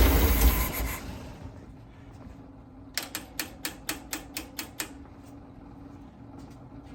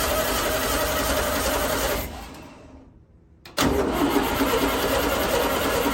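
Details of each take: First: 1964 VW Beetle, static timed, with a temporary electric fuel pump bypassing the old pump: a few cranking chugs, then it fires and holds a steady, even idle; normal idle. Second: 1964 VW Beetle project with a noisy original starter, being started on poured-in gas. The starter churns about three beats a second, stops and resumes without catching. No-start from fuel starvation with a faulty mechanical fuel pump; an electric pump bypass is planned.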